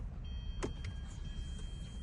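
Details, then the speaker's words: 2011 Hyundai Sonata with crank-no-start from no fuel, after fuel pump replacement, key on: faint steady high hum starts and holds over low rumble; new fuel pump priming normally. "Ooh, I like that. I just heard the fuel going."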